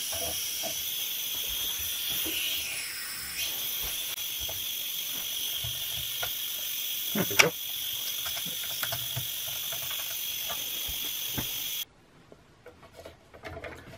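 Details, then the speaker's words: Eagle 1.5 hp air compressor: steady high-pitched hiss for about twelve seconds, then stops, air escaping at the tube to the pressure switch. It is one of two leaks, to be traced through the pressure switch and regulator; air leak. "so the leak is right here this tube here when connects to the pressure switch well there's two of them yeah so when it's pumping this one is leaking and otherwise uh this one here does"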